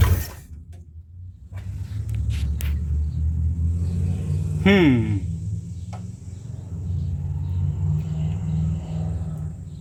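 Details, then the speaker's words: 1958 Chevrolet Bel Air, rebuilt engine long sitting, first start after the idle was turned up: near quiet, then it catches and settles into an uneven low idle. First start after sitting. "Who knows how long this thing's been sitting in that accelerator pump's trying to work."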